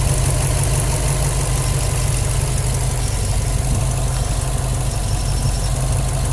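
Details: Subaru WRX petrol engine idling with a low, coarse buzz running steadily through the sound; cause not identified.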